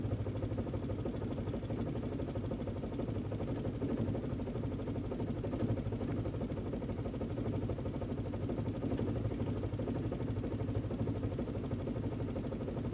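Steady low idle with an uneven, lumpy beat and no smooth rhythm; a rough idle, and the cause is not yet pinned down.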